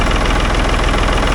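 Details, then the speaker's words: 1965 Ford tractor with a 3.3 L Ford three-cylinder diesel, 60 hp at the PTO, maxing out at 2000 rpm. A deep, slow, even idle chug with a steady low throb and no knocks or misfires, no smoke; just purring, a healthy idle. "She's just purring."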